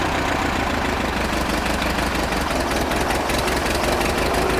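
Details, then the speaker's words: Amphibious Ford tractor with new Pertronix ignition, carburetor not yet tuned and the choke held out with a clothespin. It runs rough with irregular stumbles while the revs hunt, in high range during a test drive. The governor mostly works; much tuning is still needed. "Sounds like the governor's working for the most part. Definitely a lot of tuning to do."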